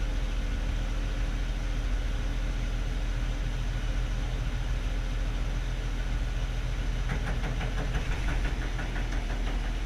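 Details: 1945 HUP Canadian Military Pattern truck, idling after long standing in very cold weather: deep steady rumble with faint irregular ticking rattle coming and going; unidentified noise.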